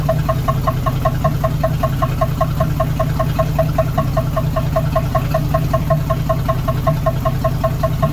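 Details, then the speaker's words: 1976 AMC Gremlin, revived after 36 years in storage, warming up after disc brake work: steady idle with sharp even metallic tap about 2.5 per second, like metal hitting metal; owner unsure it is engine knock, cause unknown. "sounds like literally metal hitting metal like a knock but it doesn't sound like an engine knock to me maybe that is an engine on the pedal though I'm beyond confused I don't know"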